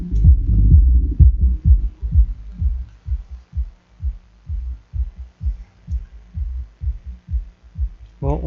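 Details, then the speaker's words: Hifonics Brutus BXI 1606D 1600 W mono class D car amplifier after cleaning cut about one amp of current loss and cured earlier crackling: clean deep bass thumps about two per second, no crackle or hiss; playing properly. "a entendu he du son [Musique] hein. Bon, on va l'éteindre. Bon, tout va bien."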